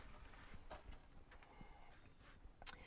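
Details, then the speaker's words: 2008 Nissan Rogue AWD, wheel rocked side to side during second-opinion inspection: faint irregular clunks and visible rim movement from play, traced to worn outer tie rod end and ball joint. "You'll see it move. See it moving. You can actually hear there is something going on there. So, we need to find what that is."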